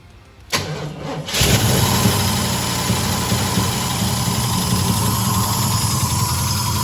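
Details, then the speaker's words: Holden VR Clubsport 304 V8, dormant for years after a heavy front impact: first start after the oil pump was cleaned and packed with Vaseline. It cranks briefly, catches, and settles into an even, steady idle with no ticking or knocking. It sounds okay. "there it is the first woman who knows how long the thing started and it sounds okay"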